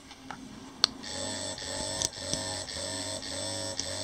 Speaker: there's two levels of vibration if you push it once it vibrates if you push and hold it it will do it six times if you keep holding it it will do it a stronger vibration